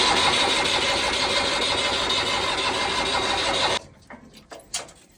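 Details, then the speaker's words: Mustang diesel tractor, after bleeding air from the fuel system and the rotary injection pump: steady fast cranking for nearly four seconds that never fires, cranks but won't start; owner gives up and plans to call a mechanic. "તો ભાઈઓ આપણું Mustang ચાલુ થવાનું નામ લેતું નથી. તો મને એવું લાગે છે હવે આપણે મેકેનિકને બોલાવવો પડશે, કારણ કે આપણાથી હવે જેટલું થતું હતું એટલું આપણે કરી નાખ્યું."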